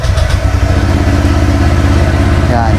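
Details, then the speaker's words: Honda Click 125i scooter with a replica Pro exhaust, cold start after over a week unused: a quiet, steady, even putter at low idle with no misses or rattles, some outdoor noise, healthy warm-up idle. "Di tulad nitong ating Honda Click na talagang tahimik kahit nasa bihin mo naka replica Pro eh kapag idle idle lang naman tahimik siya wala ano lang and cold start lang"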